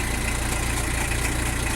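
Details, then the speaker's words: Citroen BX 17 diesel idling just after start: even idle with a quick, steady pulsing underneath as the hydropneumatic suspension pump builds pressure; all sounds normal. "You can hear the suspension pump taking up to normal."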